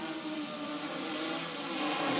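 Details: Hexacopter in flight with motor five (front left) cut by an Arduino intercepting the ESC signal: steady buzzing prop whine swelling slightly as the craft spins, holding the air and climbing on five motors.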